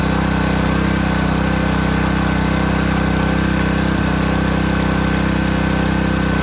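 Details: Simpson pressure washer small engine, bought as having no pressure (pump valves melted), pump removed, running: steady even drone around four beats a second, no stumbling or knocking; engine running healthy.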